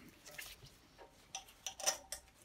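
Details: Btwin Hoprider 300 bicycle rear wheel after replacing freewheel, cone and ball bearings: light crisp ticks in short irregular runs as the wheel turns, no grinding or rubbing; freewheel healthy.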